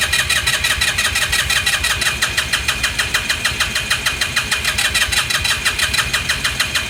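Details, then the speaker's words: 2018 Lance Cali Classic 125cc scooter, found not running with mice in the airbox, cranking on a lithium jump pack; steady cranking about three pulses a second with faint puffs, never catches. "puffing well that's it's not the best well we knew that was wishful thinking anyways"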